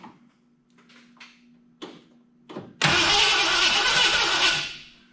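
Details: 1986 Ford F250 351 Windsor after moving the pickup coil closer to the gear to restore spark: a few short clicks and clatters, then a steady fast whirr of the starter spinning the engine over without it catching.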